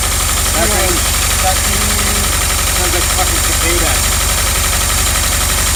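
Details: VW Vanagon Westfalia first running after a week of failed starts, with new spark plugs and fuel injector connectors refitted. The engine holds a steady idle under a lot of hiss, with no misses or knocks; it runs properly.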